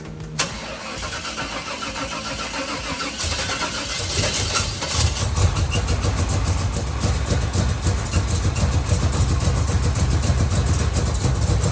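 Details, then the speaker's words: 1969 Chevelle with Turbo 400 transmission, revived after sitting, on a second long-shelved carburetor: cranks, catches and settles into an even, steady run with no misses; sounds much better and runs good. "wow that sounds way better [Music] it runs good i like it"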